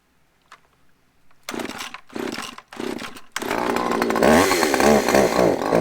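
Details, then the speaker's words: Used Husqvarna chainsaw said to need carburetor work, started on choke. A few pulls, then it fires and revs unevenly with surging, wavering pitch; the owner thinks it may just need a tune. "Oh, sounds like it needs a little tune maybe, but that might be about it."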